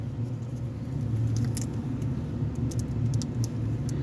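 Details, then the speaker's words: Ford engine idling that sounds like a misfire even after new spark plugs, ignition coil and wires: low, lumpy idle with an uneven beat and no sharp knock, actually a vacuum leak from the rear intake gasket. "so that's we call the vacuum leak so that's why it's looks like the sound is look like mispiring but it's not misfiring this is a vacuum leaking you guys"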